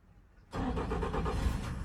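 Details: Yamaha F150 port outboard on a Duckworth boat, after a bad key switch causing intermittent no-crank was replaced: short crank catches right away into a steady, even idle rumble, nothing odd; fix confirmed.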